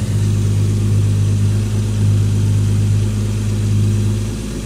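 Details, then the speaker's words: Engine's first start after a rebuild: deep, steady, even idle with smooth low hum, no knocks, ticks or misses; starts first try, no smoke; normal healthy idle. "fungerer bare. Sådan skal der være. Og starter i første hug. Og den ryger ikke engang."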